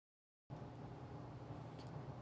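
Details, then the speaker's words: Centroid SC300P scientific olfactometer (four odor inputs, main instrument) switched on at its power switch: silence, then a steady, even low hum as the cooling fan spins up and the screen starts; normal fan at switch-on. "you should be hearing the cooling fan turn on and the screen is starting up"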